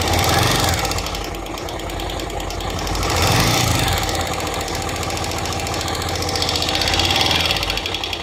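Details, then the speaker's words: Bajaj Pulsar 150 motorcycle at idle after head work by a local mechanic: loud rapid tractor-like clatter about four knocks a second from the top end; valve train clatter. "जैसा कि आपने video देखा उसमें तय आवाज आ रही है वह फीडबैक है पर ऐसा लगता है जैसे कोई ट्रैक्टर स्टार्ट है और ट्रैक्टर नहीं है"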